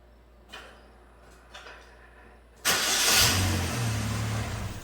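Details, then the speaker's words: 2009 Chevrolet Malibu Hybrid, 110,000 km, check engine light and transmission in limp mode; after codes cleared, brief crank, then catches and runs with an uneven, wavering idle; the mass airflow sensor is suspected. Rough running after start. "so let's see if i can keep it running i think it's mass airflow"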